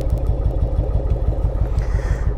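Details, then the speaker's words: Yamaha Virago 1100 V-twin idling on the front cylinder only after the rear cylinder suddenly quit on the ride, heard at low revs and idle: heavy, lumpy thumping; spark is present, a fuel problem is suspected, and a carburettor float valve was later found gone. "the funniest thing is it does only seem to be on low revs or on idle as you can you can hear it that's just one ceiling"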